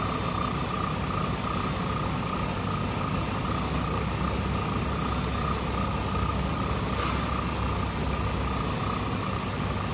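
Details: 2007 Chrysler 300C Hemi after overheating, coolant refilled, heat on to bleed air: even, steady low idle rumble, no ticking, knocking or hunting; healthy.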